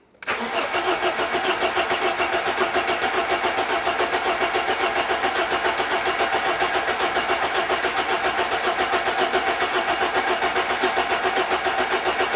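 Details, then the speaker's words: Barn-find 1980s BMW E30 M Sport homologation car, fuel-injected, parked for years: steady cranking at about 3.5 pulses per second with no start; no fuel pump priming sound heard. "when you turn the ignition on to just see if I get a priming I get a fuel pump priming sound not hearing a d thing at all"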